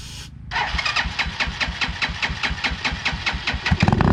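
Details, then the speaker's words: 2010 Dongfeng DF250RTB single-cylinder air-cooled 250cc motorcycle, first start after 10 years sitting, taken off choke early: quick fire-up, then crisp thump about six beats a second, settling and picking up; runs fine. "off the choke too soon well it runs well that was fairly simple"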